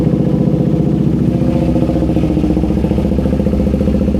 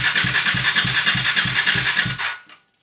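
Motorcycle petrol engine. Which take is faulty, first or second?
second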